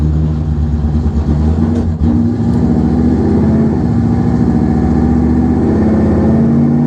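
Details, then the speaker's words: 1968 AMC Javelin on a shakedown drive on a warm day: a strong, even drone rising gently in pitch as the car gathers speed, with no tapping or rough beats; engine sounds awesome. "Ah, this engine sounds awesome. Totally awesome."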